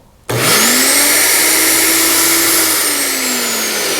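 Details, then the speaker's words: Earthwise GS70015 15 amp electric wood chipper, unloaded after clearing a jam. Motor spins up in a fraction of a second to a steady high whirr with smooth even pitch; sounds back to normal, normal no-load running. "There we go. So that sounds a lot better, and we're basically ready to keep chipping."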